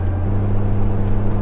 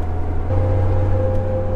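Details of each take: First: Jeep TJ with roof/windshield-mounted light bar, cruising: only steady low road and engine drone, no whistle or hum; light bar quiet. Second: Jeep TJ with roof/windshield-mounted light bar, driving: steady low hum with a mid tone over road noise that grows louder with speed and goes away when slowing, before the fix.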